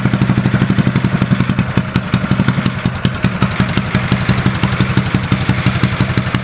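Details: Custom mini bike trike small single-cylinder engine just after first start, choke lever cut off: steady quick even putter, no knocks or misses; running healthy.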